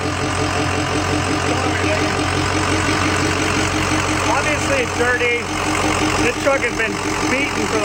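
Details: Freshly rebuilt diesel truck with RCD stage 2 short block, RCD Thumper 1, aluminum H-Pop conversion and high-output Adrenaline pump, just fired up: steady, even diesel clatter settling into a smooth idle with no knocks or misses; healthy.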